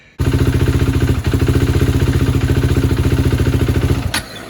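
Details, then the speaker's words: 2016 KTM Duke 390 in cold weather: single-cylinder thumping at idle then abruptly cutting out and dying while riding; owner suspects fuel delivery or throttle body, later fixed by a shop. "just like that it dies so that's usually what happens to me while I'm writing"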